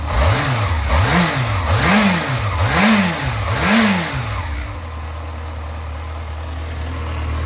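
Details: Yamaha XJR400 (4HM) running engine assembly with compression measured and no abnormal noise or white smoke: five crisp throttle blips, then a smooth, steady idle without knocks. Normal running.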